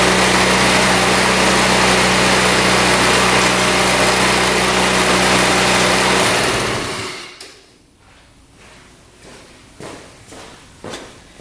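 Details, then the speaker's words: 2017 Tao Tao scooter with choke, after fixing a tight exhaust valve, cleaning the carburetor and adding fresh fuel and oil: it fires right up and settles into a quick, even idle for about six seconds; it runs healthy. "So, the center stand on this one's broken, but she fired right up. It wanted to go right away."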